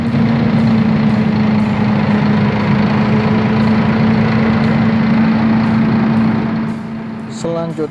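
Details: Volvo FM440 truck, D13 diesel engine, running: loud, rough idle with an uneven pulsing beat; low engine power, with fault codes for injectors 1, 2 and 3, a misfire from injectors not firing properly; an ECU, VECU and LCM swap was performed.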